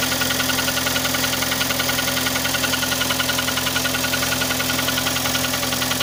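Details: Kia Sportage 3 engine at steady idle with a quick regular ticking knock about three or four a second; knock louder cold, quieter warm, heard at low driving speeds, vanishes at 60-90 km/h, returns after lifting off and re-accelerating; cause unknown.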